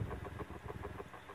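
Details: Antique GE fan, 78X191, number X56867, run on high at about 93 volts through a current-limiting bulb: motor hum with a steady light knock as the armature slides back and forth through its bearings and bangs against the back of the oscillation gearbox. Armature end play knock.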